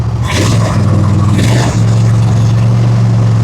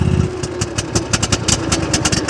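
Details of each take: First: Gravely zero-turn with Kohler 7000 series engine, 99.6 hours, after fitting a missing carburetor main jet: a few rough catches, then smooth steady hum with no surging; the earlier black smoke and weak running are fixed. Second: Comparison mower with choke deliberately applied: lumpy, uneven firing with skipped beats and a struggling low note, barely running; rich running from applied choke.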